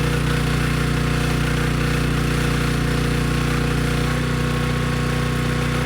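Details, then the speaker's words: Briggs & Stratton Storm Responder generator after carburetor cleaning (dirty carb, needle and seat checked): small single-cylinder engine holds a steady, even drone with no misses or surging under a 3000-watt load; running healthy. "okay good no surprises the engine started right up it sounds good and the generator head makes power and could handle the 3000 watt load without issue"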